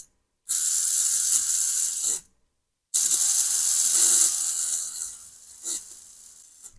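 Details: Old Privileg vibration massage machine with a DC motor, run on a bench power supply during repair: a high, buzzing rattle from the motor shaft wobbling in a loose, worn bushing.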